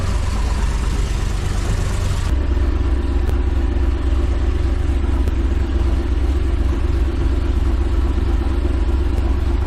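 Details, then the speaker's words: 2005 Chevy Corvette cammed V8, first start after LS9 head gasket and head stud job with 2-inch headers: deep lumpy even loping idle, no misses or knocks; started without major issue, coolant still to be bled. "all right guys the car started without any major issue"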